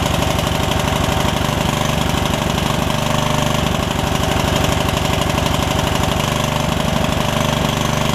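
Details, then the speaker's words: Yard Machines rider single-cylinder, revived after its engine filled with water through a missing air filter, idles with uneven, lumpy firing and stumbles. The owner suspects it is a little rich and wants to purge out rust; the valves are still ungapped. "the fact that it runs that good it's still got a little bit of a something going on but i'm not sure like it's running a little rich or something"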